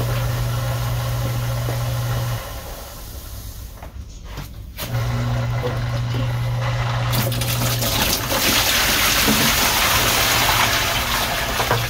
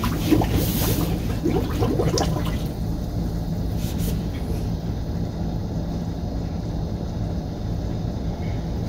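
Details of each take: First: Small pump purging the loop lines on a new Rheem combo boiler install, with a spin-down filter fitted. A low hum over running water cuts out and restarts every few seconds: short cycling, likely from air trapped in the line. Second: Small sump pump purging air and old dark fluid through about 300 ft of line on a new Rheem boiler install, on a non-GFCI outlet after the GFCI tripped. Steady low motor drone with early water splashing, then an even hum: running normally under load.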